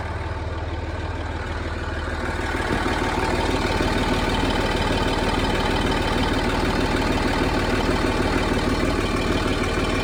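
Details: Land Rover Discovery 3 (LR3) TDV6 diesel, cold start at idle: loud fast, even ticking/clatter about two per second over the low rumble, steady with engine speed; cause unknown.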